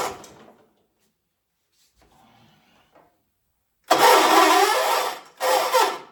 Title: Hard Start 1976 John Deere 300